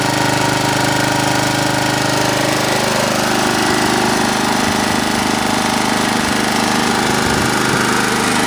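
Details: Honda HR214 mower, set on high: steady, even high-revving drone, no misses, surging or knocks; smokes heavily after start; normal full-throttle run.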